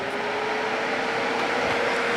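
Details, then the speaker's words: Texas Star DX500 amplifier converted to a Scorpion DX400 sleeper with a dual fan kit of 2-amp fans and a power wire upgrade, about 14.5 volts, fan switch on high. Steady airy rush with a constant mid-pitched whir, no rattle or wobble; running smoothly. "There's your fan speeds. Got it on high now. Boy, I can feel this air."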